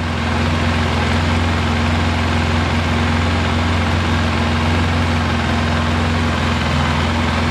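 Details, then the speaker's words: Polaris Sportsman 700 ATV idling after a head gasket replacement; quiet, no exhaust leaks at the pipe. Steady, even low idle with no puffing or ticking from the exhaust; smooth, healthy-sounding engine. "that's how quiet it is no exhaust leaks by the white pipe that's good"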